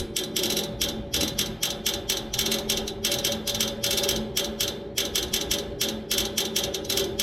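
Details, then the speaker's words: Neighbor's AC outdoor unit idle, fan off, motor replaced yesterday: sharp dry clicks about three per second, steady, over a faint hum, from inside the unit, not the fan; stops when the fan turns on; cause unknown. "And this noise will continue until that fan turns on. Once the fan turns on, it goes away. Once again, it's not coming from the fan."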